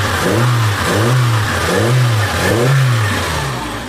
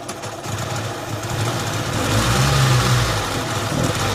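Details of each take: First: Samsung Korean car with hard starting and lack of power, after fuel pump replacement and adjustment: engine revs up and falls back cleanly about four times, smooth with no misfire or stumble; now fixed. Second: Samsung Korean car (Filipino mechanic's customer car), hard start and no power: engine stumbles and surges unevenly with no clean pickup; misfire persisted after TPS/distributor adjustment and new plugs, weak fuel pump suspected, pump to be pulled.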